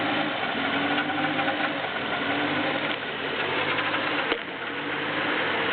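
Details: BMW E36 318is, M44B19 engine, cold start: faint metallic clatter while idle hunts between 1000 and 1500 rpm; unexplained metal noise, cause unknown.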